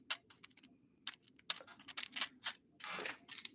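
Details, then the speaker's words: 6s Mini Maxx RC car drop-in differential turned slowly by hand gives uneven dry clicks and scratchy catches at irregular spots; gear mesh snagging, owner suspects poor quality, cause not found. "They I wonder if this next one when I put it in if it's going to feel better cuz this one's like catching."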